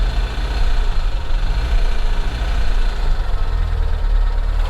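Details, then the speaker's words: Pontiac Solstice flood car at auction with 131,000 miles, started on a very hot day: a rough idle with loose clattery rattling over a heavy low rumble; engine rattle at idle, with water in the oil suspected though the oil looks fine. Cause unconfirmed. "hear all that rattling 131 thousand miles we're gonna go ahead and shut this off man that sounds bad"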